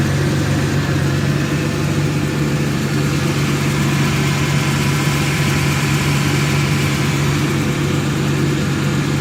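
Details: 2002 Dodge Intrepid 2.7 V6 at 213,000 miles. The belt squealed when turning the steering wheel because a loose alternator bolt let the belt go slack; it has now been fixed. Smooth, steady idle with a deep even hum and no chirp or squeal.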